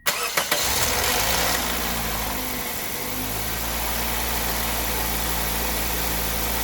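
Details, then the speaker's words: 2003 Toyota Corolla 1.8 L automatic, first start after crank seal, valve cover gasket and tensioner O-ring replacement: cranks, fires, briefly stumbles from brake clean sprayed into cylinder 1, then smooth steady idle with no chain slap. Normal start. "That, my friends, is success. You could see that it kind of hobbled around. The reason why it hobbled around is because of the brake clean that we sprayed into the #1 cylinder."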